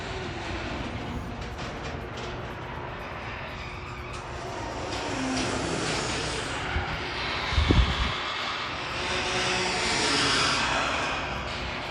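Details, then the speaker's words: Slow garage door on its opener: a steady motor drone under rising and falling groans, scrapes and squeaks as the door struggles open. "If your garage door is moving slower than it's supposed to, like mine is watch this. And it feels like it's just struggling."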